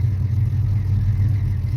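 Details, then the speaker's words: 1971 Plymouth Roadrunner with a 383 V8 and 4-speed pistol-grip manual, idled down and only partly warmed up (owner calls it cold-blooded, with a slightly funny carb). Deep, loping idle with an uneven rolling beat. This is normal lope from the performance cam. "There, maybe you guys can hear it a little bit better. It's got a nice cam lope to it."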